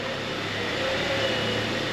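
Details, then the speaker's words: 2009 Honda Accord at idle after topping off power steering fluid and turning the wheel to bleed air: low steady pump hum with only a faint whine; pump now much quieter than before. "and you'll see just how much quieter this power steering pump is now"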